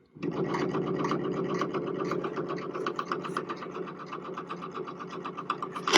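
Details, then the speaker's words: 1947–1951 RCA cartridge magnetic wire recorder during repair: only fast, uneven mechanical ticking from the drive with no playback sound in either direction; suspected bad four- or five-tube amplifier or blank wire. "yeah I I think I've got some audio issues we've got a four or five tube amplifier in here so we may have a we may have an amplifier that's bad or we just may be the the wire may be blank"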